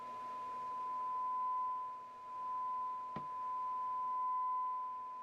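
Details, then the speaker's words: Onkyo TX-810 receiver, possibly late 80s or early 90s, with a complaint of intermittent left channel output at turn-on. Cleaned out with compressed air, then fed a test signal: a clean, steady 1 kHz tone holds level without dropouts or crackle. Output is stable. "So we got it on, we're going to turn it up. We're looking good."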